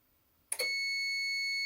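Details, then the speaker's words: New APC Back-UPS Pro 1500VA (BX1500M) switched on: brief click, startup self-tests, then a steady piercing high-pitched alarm tone that doesn't stop. Per manufacturer support, this fault can only be fixed by replacing the whole unit. "After spending about 20 minutes on the phone with APC Schneider Electric support, I found that this is a problem that that can only be re be fixed by replacing the entire backup battery unit."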